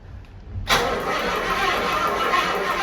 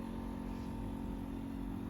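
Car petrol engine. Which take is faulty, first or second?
second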